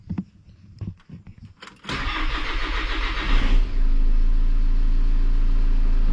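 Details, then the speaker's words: VW Passat B7 2.0 TDI CR with DSG, cold engine, after dual-mass flywheel replacement and fuel system bleeding: few cranking turns, diesel catches with a slight stumble then settles to steady idle; dual-mass flywheel quiet. "z lekkim zająknięciem, No na razie jeżeli chodzi o dwumas to jest cisza."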